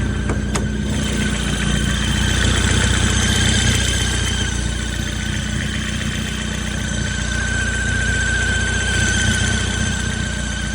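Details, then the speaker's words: Ford Focus ST with custom sidewinder kit and T51R turbo, idling: steady high thin squeal with constant pitch from the pulley area, possibly pressure escaping the system; cause not confirmed. "Might be the pulley. It's definitely in this area. You guys could look at it. That's the sound it makes."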